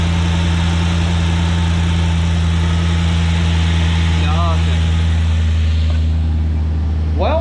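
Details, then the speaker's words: Project car engine after repairs to fire damage caused by the alternator, with valve covers and plenum refitted. The check engine light has gone off and there are no leaks, and it idles with a steady, even rumble with no misses or knocks. The motor is judged good. "i think the motor is good"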